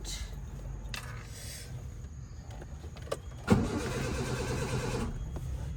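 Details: Car that wouldn't start for a week, pedal pumped while cranking: uneven, labored cranking with a brief surge that never catches into idle; engine turns over but won't fire.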